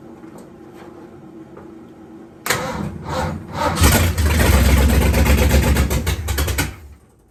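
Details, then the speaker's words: Big block Ford V8, first start after installing a new HEI-style distributor, no coolant in it: quiet cranking, catches about 2.5 s, runs rough and lumpy then cuts out; ignition timing out, to be set with timing light. "it's definitely out of time i'm gonna get timing light out and uh try to get it back in time so i don't want to run it a whole lot"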